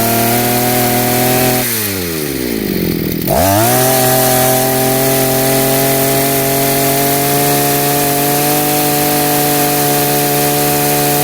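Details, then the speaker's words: Chinese brush cutter two-stroke after carburetor adjustment, at full throttle: brief dip then a clean, steady high-pitched scream, smooth even run; now the plug stays dry and fuel burns fully. "Acum funcționează bine și lumânarea va fi mereu uscată și roșie. Combustibilul va arde bine , nu va da pe dinafară."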